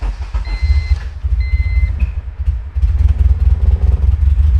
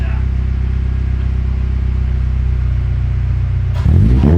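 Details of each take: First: K20Z3 K-swapped 1996 Honda Civic, Burton Racing ECU, first start: beeps then lumpy, uneven stumbling idle, seemingly running on only 2 cylinders; air in deadheaded fuel system, bled at line end, then ran perfectly smooth. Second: K20Z3 K-swapped 1996 Honda Civic hatchback, fuel table adjusted for some E85: steady, even idle rumble, then a clean quick rev blip rising and falling smoothly; sounds pretty good, nasty, running perfectly smooth; healthy engine revving.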